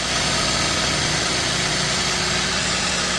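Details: 2012 Toyota Avanza that overheated and stalled on the toll road from a poor cooling system; on its first start test after turning over without seizing, it gives a steady, loud hiss-heavy idle with an even low rumble, no misses or knocks, damage not evident.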